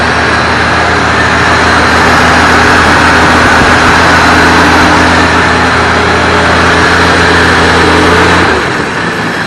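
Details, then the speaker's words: 1965 Plymouth Savoy (Canadian C-body) with slant 6 and automatic, revived after sitting 19 years. Cold and not yet run since the work began. Fairly steady idle with a slightly uneven low pulse before shutting off; a mild shake, cause not yet known. "Not running too bad. It's got a little bit of a shake to the engine, but it is cold."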